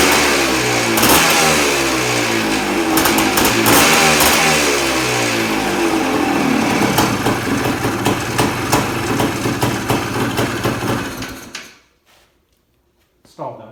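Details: 1979 Suzuki PE250 two-stroke with a newly fitted 38mm carburetor, started without choke: raspy idle stumbles unevenly, fades and dies after about eleven seconds; idle needs adjusting.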